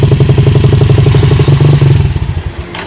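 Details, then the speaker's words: Rusi Macho TC150 single-cylinder motorcycle with hard starting and stalling: idle thumps about four beats a second, then sputters and dies when the handlebar is turned; a broken, rusted ignition wire in the harness is cutting ignition. "umaandar umaandar siya tapos gagalawin ko papunta dito sa kabila biglang mamamatay yan"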